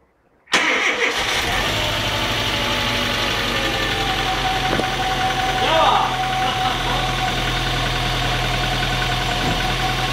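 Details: Seat Cordoba 1.6 first start after head gasket replacement; catches right away and settles into a smooth, even idle without misses or knocks; normal start and idle.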